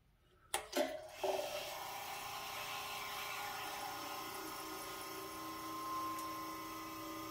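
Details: Vintage GE Monitor Top refrigerator set to about medium, which has been able to freeze ice: a few soft clunks at switch-on, then a quiet steady hum as the compressor starts and runs normally.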